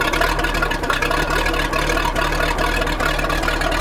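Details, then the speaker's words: Chaparral 187 XL boat with MerCruiser 305 V8, after water in fuel: fuel-water separator replaced, fresh gas added, primed; low, steady V8 burble at idle with even beat, no misses; normal idle. "and so uh we went ahead and changed the fuel water separator and filled it up with some fresh gas and primed it good trimmer down [Music] it's good and here's what she sounds like watches no water"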